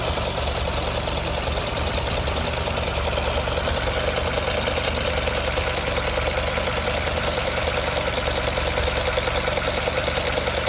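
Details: 2006 Mercedes B200 (W245) petrol engine at 60K miles with no fault codes found, idling: steady idle with a regular knock about three beats a second from the engine area; engine knocking at idle.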